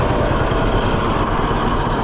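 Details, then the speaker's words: 1948 John Deere B tractor: engine pulls steadily under load with even beat, no misfire or cut-out it had before; running noticeably better. "Oh yeah. It's a lot better. Oh yeah. A lot better."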